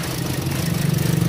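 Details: 2017 Toyota Vios automatic idling. Low, uneven, lumpy pulse with no steady beat; unstable rough idle, cause not confirmed.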